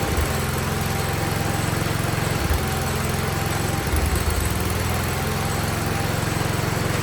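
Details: 47-year-old Wheel Horse tractor, single-cylinder, carb slightly tuned, choke fully off, no air filter yet, no smoke: steady fast thumping with only a couple of small dips; running cleanly.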